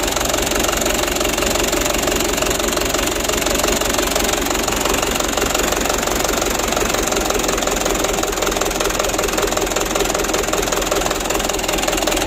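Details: 2010 Mitsubishi Canter 125 PS diesel idling with a loud clattering knock and an uneven, shaking beat. Injection pump plunger delivery is uneven, and the engine is switched off so the plungers can be set to even out the shaking.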